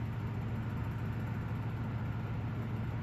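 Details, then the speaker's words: 1956 Emerson 77648-SO desk fan, first run in a long time after sitting outdoors: low, steady, even hum with slight high-pitched motor whine, no rubbing or ticking; runs nice and quiet despite slight blade run-out. "It's nice and quiet. It's got a little bit of run out in it, but that's pretty hard to avoid."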